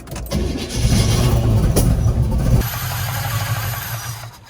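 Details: 1977 Chevy K10 truck that sat 14 years: long, uneven low chugging of the starter cranking the engine; it barely catches, runs rough briefly, then fades without settling. Extended cranking, won't stay running; timing or lack of pressurization suspected, not confirmed.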